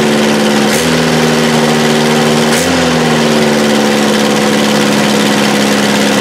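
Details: 1984 Toyota SR5 pickup, first cold start after about five years sitting, after gas was added to the carb bowl and the fuel pump smacked: steady, even idle with a constant low hum and brief pitch dips, settling into normal idle.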